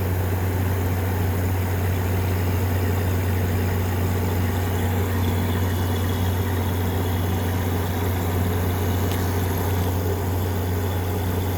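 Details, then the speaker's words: 2014 Frigidaire 5000 BTU window AC with a GMCC compressor, used about three times then unplugged for five years, running on low cool after cleaning: steady, even low hum with a soft airy rush, no knocks; the compressor runs quiet and normal. "Let's turn the compressor on. That compressor is quiet."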